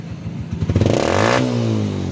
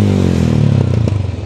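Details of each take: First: 125 Alpha motorcycle after exhaust was cleaned out, backfire fixed by adjusting carburetor idle screw to about 1,000 rpm: three clean throttle blips rise smoothly and settle to steady idle, no pops or backfires; normal revving. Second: 125 Alpha motorcycle with gutted muffler: revs fall away with sharp pops and crackles from the pipe on deceleration, backfiring through the exhaust; the remedy shown is adjusting the carburetor's idle mixture screw under the carb.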